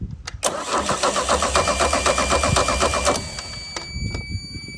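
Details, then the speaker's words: 1987 MerCruiser 3.0 boat engine being revived, with the starter jumped directly and spark not yet checked: strong, even cranking at about four pulses a second for nearly three seconds without catching; normal cranking. "you hear how good that thing sounds? It's gonna run."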